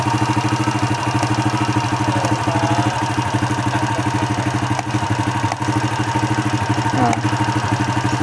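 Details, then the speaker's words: Hot Honda Astrea Impressa motorcycle (Grand/Supra 100/C100-type engine) idling with quick, fairly even ticking; front cylinder head still hot (~74°) while rear cooled to 38, noise remains; cooling the front makes ticking disappear, heat-related ticking. "tapi suara ini masih ada dengarang ya ada ya sekarang coba ini saya dinginkan ke depan no ada suaranya hilang kan hilang suaranya"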